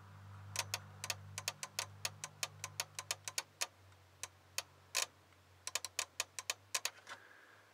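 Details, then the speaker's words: Ford F250 dome light problem: wiggling the good number four fuse in its socket makes the light go on and off. Sharp, irregular relay clicks chatter from an intermittent short inside the fuse box socket. "because when I take and move it the light you can see that's going on and off and you can actually hear the relay popping on off"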